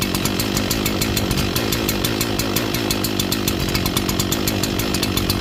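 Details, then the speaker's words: Echo CS-4910 chainsaw cold-started at about 2° with -10 wind chill in snow, choke off after first fire: rapid crackling two-stroke idle with an uneven, hunting beat while warming; lopey idle when cold. "Took a few more pulls. I probably could have maybe started up with 1 or 2 left few pulls, but she is starting up though. Warming up. Lopey."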